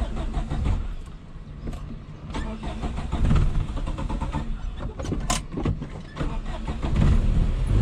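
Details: 1989 Suzuki Khyber/Cultus, 993cc G10 petrol engine, 4-speed manual, FWD, on a drive: engine note sags and surges with uneven bursts, nearly dying under load; engine stalling, barely keeps going.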